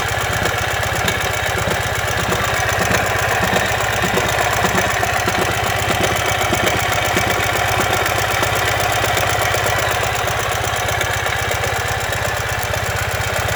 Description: What is this unusual engine noise? Turns out that this is the sound that happens when the front crankshaft bearing collapses.